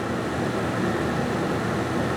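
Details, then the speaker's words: 2003 GMC C5500 TopKick, key out and HVAC off, heard at the passenger-side blower: loud steady rushing whoosh with even hum; blower stuck on full at every setting, fixed by replacing faulty blower motor resistor, part 12135104. "you guys can probably hear just how loud this blower motor is let's come on in on the passenger side here you can hear that's it right there you guys can see that it's on still even though the keys are out of the truck"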